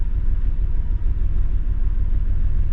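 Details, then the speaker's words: Nissan Skyline R31 TI, first drive in over three years after sitting: uneven low rumble with irregular stumbles, like a dropped cylinder misfire at low revs; cause unconfirmed, low fuel in the tank noted, owner hopes driving clears it. "it's not like before but it was like dropped a cylinder misfire it's like properly misfiring"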